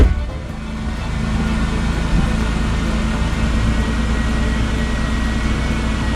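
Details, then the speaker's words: 2000 Chevy Impala at 103,000 miles, just after replacing the fuel pump with a new AC Delco pump, started after priming: smooth, even, quiet engine note with no knocks, ticks or whine; healthy, fuel pressure reported right. "yeah sounds good nice and quiet pressure is right"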